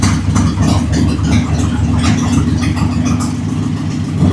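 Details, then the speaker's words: Jeep CJ7 with 258 straight six, oil pressure gauge being checked after refuelling: steady, even low rumble at idle, no knocks or ticks; healthy idle with oil pressure almost 50. "Almost 50. Not bad. Not bad. 50 is pretty good for idling 258."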